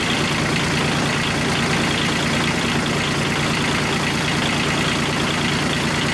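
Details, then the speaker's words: Kubota G1800 tractor diesel, rebuilt engine back in tractor after about 2 hours mowing: steady even clatter at constant idle, no knocks or misses; running good. "And so there it is, back in the tractor, and it seems like it's running good."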